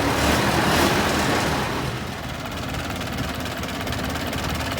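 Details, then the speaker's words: 1913/1914 Detroit-made Princess car, first start after about 100 years of storage, with rebuilt magneto and carburetor: steady, even slow chug with no knocks or misses. The old engine runs smoothly. "How nice and smooth this engine is."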